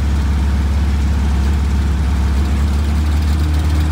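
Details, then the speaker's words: 1962 Austin Healey Sprite Mark II after oil pump priming, idling to circulate oil to the valves: smooth steady low idle, even beat, no knocks or ticks; oil pressure up, healthy. "i'll let it pump oil make sure that it gets up all the galleys gets to the top of the engine lubricates the valves"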